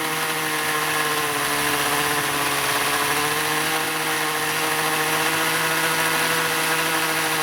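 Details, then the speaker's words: Vintage Evinrude/Johnson 35 hp outboard that had spark but wouldn't start, now running after starter fluid: steady, fairly even buzzy run with no obvious misses, being run to burn off stale bad gas. "That sounds pretty good. I just want to see if I can run some of that bad gas out of it."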